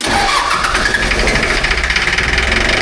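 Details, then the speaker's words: 3-cylinder diesel amphibious ATV with glow plugs; brief crank, then catches at once and settles into a steady, even diesel run, starting way better than before. "It did start better today. Shut it off. It did start way better just now. Like way better than the first time I rode it."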